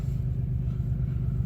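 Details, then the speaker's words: 1993 Ford Escape at 26°F, January: low lumpy idle with a bogging, stumbling beat, running on five cylinders from a #3 misfire caused by a dead ignition coil; check engine light comes on afterward. "it is 26 degrees out right now in that bog down sound and I'm only running on six or five cylinders"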